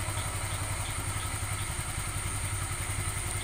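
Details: Honda Vario 125 scooter CVT after repair (washer shimmed with a used spare part, pickup now smoother): even, steady belt-drive note with no judder or the clattering that had appeared when revs dropped; normal CVT running.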